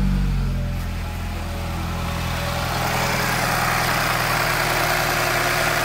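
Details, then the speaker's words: 2013 Mini Countryman S (N18), 101,000 miles, cold start at about 40°F after replacing only the timing chain tensioner (chain not yet replaced): idle still has a diesel-like banging rattle and rapid knocking but no odd vibration; cause unconfirmed. "so that's what it sounds like still lots of banging and stuff it sounds like a diesel motor normally but it's about 40° outside um so it's still pretty cold and there's no weird vibrations but that's the sound it makes"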